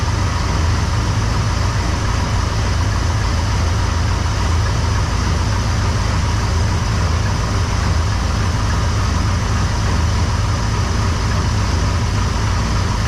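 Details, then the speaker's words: C10 with 454 big-block V8, cold start on new battery after about three weeks, during diagnosis of a tick: deep even idle rumble with no ticking or knocking while warming up; much quieter. "I can tell you right now it's much quieter up here we'll let her get warmed up here for a minute"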